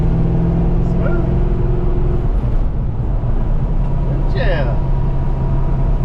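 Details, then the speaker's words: V8 on road test after a stuck fuel injector was freed by tapping: steady, even low rumble under road load with no stumble; misfire fixed, smooth and good power. "all right guys so the verdict is the mist is fixed just a little tap nice and smooth makes pretty good power runs good"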